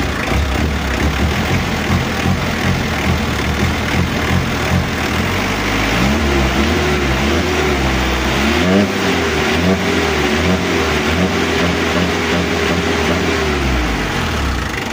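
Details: Mitsubishi L300 diesel after injection pump overhaul and 12mm rotor head upgrade, exhaust noise partly masking knock: clatter revs up smoothly and holds steady, clean throttle pickup with no misses or knocks; the pump is delivering properly.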